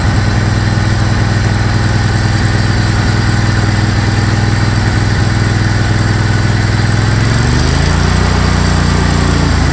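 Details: Craftsman GT tractor (model 917.258873) with 18.5 hp Kohler CV18S 624cc V-twin, formerly hard-starting, running after carburetor replacement (Kohler 24 853 41-S, new gasket); firm, even beat holding steady, then dropping smoothly to a new speed without stumbling; normal running.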